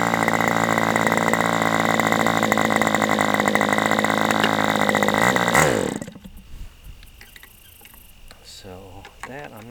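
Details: Aviastar 46 ABC glow engine, testing two carbs: a steady high-pitched full-throttle scream cuts off abruptly. It sounds lean on the high-speed needle, which the owner plans to richen slightly. Peak is lower with this carb; cause not confirmed.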